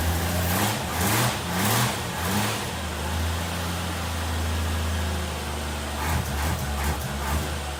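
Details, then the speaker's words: 1960 XK Ford Falcon petrol six, first start in 12 months, fuel dripping from carburetor: catches after a few throttle blips and settles into a steady, even low idle; sounds healthy, normal idle. "there you go folks that's the first start in about 12 months on this 1960 talkin and just listen to that engine using that sway"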